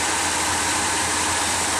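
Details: 1964 Pontiac Catalina V8, idling at its first start of 2010: steady, even rumble at constant idle speed with no knocks, misses or ticks; normal idle.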